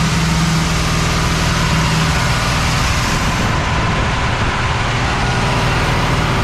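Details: Cadillac "Lil Debby" after fuel system diagnosis, pump now pulling fuel from the tank without a return line: even steady idle with smooth low rumble, no misses; much better, return-style filter to be refitted.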